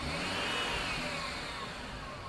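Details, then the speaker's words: 2005 GMC Envoy, 4.2 L inline-six Vortec: a high, thin whine sweeping slightly in pitch over the engine, first thought to be low power steering fluid, persisting after a fluid flush; failing idler pulley bearing, fixed by replacement. "just to recap here we bought this SUV and it had a whining sound that I thought was just low power steering fluid it sounded something like this"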